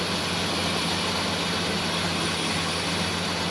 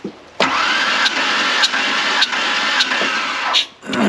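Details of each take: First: 1996 Ford Ranger 3.0L V6 at idle with misfire: loud steady hiss over low rumble from a huge vacuum leak, a destroyed vacuum hose; plugging it makes it run much better, remaining stumble suspected to be sticking injectors. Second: 1996 Ford Ranger 3.0L V6 with a misfire, plugs out for a quick push-button compression test. Cranking is even, with regular puffs about every 0.6 s; compression is decent on all cylinders, including the misfiring side.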